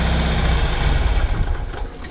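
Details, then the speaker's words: 1975 BMW R75/6 airhead boxer, chokes open: steady low thrum slows and dies within a second of closing the throttle; idle set too low, throttle stop screw later turned in a whole turn so it idles alone. "yep as soon as i close the throttle the engine goes off"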